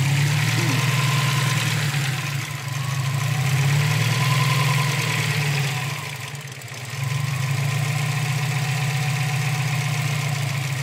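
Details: Subaru STI, petrol engine idling unevenly, steady drone sagging and recovering as revs hunt 500-1500 rpm, narrowing to 650-850 with the MAF sensor unplugged; rough hunting idle, cause unknown.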